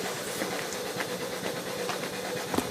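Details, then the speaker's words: Used, apparently all-original Duo-Art rotary vacuum pump for a player piano, rotating in the Duo-Art direction, running without load: soft, even chugging about twice a second with a light airy hiss. Running smoothly, normal. "Well, it must be a dual art motor. And you can hear it chugging away."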